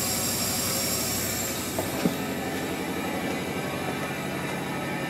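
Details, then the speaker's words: 2008 Ford F-250 5.4 3V with 28,000 miles, running rough with misfires reported on cylinders 4 or 6 and 8, on a leak-down test with the engine off: steady rushing hiss with puffs; air is leaking past an exhaust valve that isn't sealing. "that sounds really hellacious under here look at that cran [Applause] puff we got some serious airf flow so exhaust valve not operating correctly"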